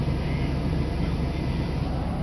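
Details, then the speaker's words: 2002 Chevy Silverado cold start after replacing the intake manifold gaskets, suspected cause of the previous rough, low cold idle: deep, even rumble with no chugging or stumbling; smooth cold idle, gaskets likely the main cause. "is a cold start you don't hear any chugging you don't hear any of that"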